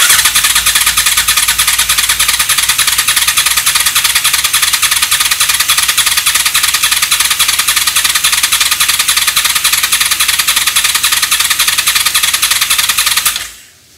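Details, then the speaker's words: Honda VFR750 V4 after carburetor install, cranked by starter with ignition off to circulate oil; even cranking at roughly three and a half pulses a second under steady hiss, sounds right for its 360-degree crank, normal. "sounds about right since it's got that 360 degree crank"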